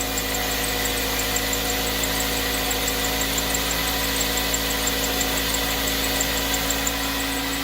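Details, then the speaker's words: 2003 Toyota Matrix 1.8L 1ZZ-FE on a cold start: a rapid high chirp rides over the idle, following engine speed, and should fade when warm; a worn tensioner pulley bearing or stretched main belt is suspected. "This wheel pulley right here is possibly getting worn out and making a chirping sound when you start up the engine, especially when the engine is cold."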